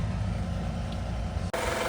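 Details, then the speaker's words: 2016 Honda Accord EX-L 3.5 V6 idling after catalytic converter replacement: steady deep idle hum, no exhaust leak; long-standing V6 rattle present. "Oh, I don't I don't hear an exhaust leak. I hear the rattle from the V6, but that's always been there."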